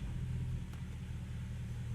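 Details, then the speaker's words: Mercedes ML55 AMG (W163) after a good used transfer case was installed: test in low range, shifting through neutral and into reverse. It locks in with a low, even rumble and no grinding, clunk or whine, so low range is working normally. "Put it in neutral. Yeah, you could hear it lock in. And it goes. Go reverse. Yeah, she's moving fine."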